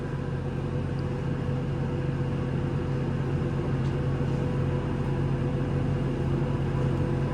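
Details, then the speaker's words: Hoffman weatherized aluminum enclosure HVAC heat pump, cabinet 2, December cold outdoors, heat circuit triggered: steady even low hum, constant pitch, no knocks or rattles; compressor running normally. "Sounds like the compressor's running here."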